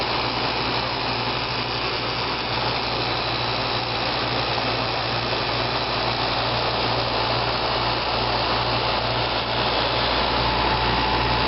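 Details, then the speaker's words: 1995 Fedders window air conditioner, heard outside at the compressor; steady, even, quiet hum with soft airy hiss, no knocking or rattling, another unit audible in the background; compressor running normally. "here here it is outside with the compressor running it's real quiet you probably still hear the carrier running in the background"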